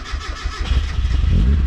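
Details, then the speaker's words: Turbocharged NA Mazda Miata, first start of the year after battery and laptop problems: brief cranking rolls straight into firing and a strong, even fast idle; starts and runs normally. "oh baby all right well that's good at least i am so happy that this actually started because i was a little bit nervous before"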